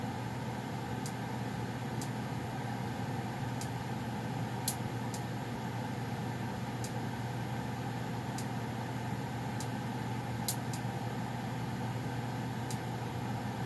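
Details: Goodman furnace running before shutdown: steady low hum with faint airy rush and occasional light tick, nothing rough; owner notes popping when shutting off; normal running.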